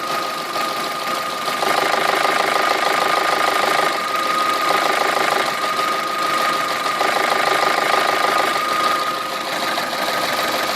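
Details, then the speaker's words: Idling petrol engine with a quick, steady knock from a worn cam phaser, where worn vanes and stator chambers make the phaser start knocking. "Со временем вот эти вот перемычки, которые идут у нас в камерах, они у нас могут изнашиваться. Они также могут набивать вот здесь вот износ и вас фазовращатель начинает стучать."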